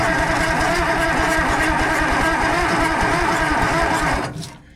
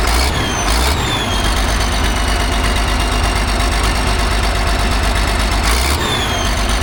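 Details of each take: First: Allis-Chalmers 645B loader, turbo diesel, on a jump pack with the injection pump in the shutdown position. It cranks steadily at about three beats a second but never catches and gets no fuel. Owner suspects the diaphragm lift pump, as its manual lever isn't pumping: fuel starvation. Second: Allis Chalmers 645B loader diesel after freeing the sticking injection pump plunger: steady, even idle with firm low beat, no misses, brief air hiss; runs well, fires right back up.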